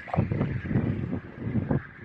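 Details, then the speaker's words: M3 1.2 kW 48V rooftop wind turbine in 7-8 m/s wind, too-short tail making it swing sideways: rhythmic whooshing swell about every half second over a steady whirring tone; loud operating noise audible across the yard. "hałasuje no słychać go na podwórku niestety"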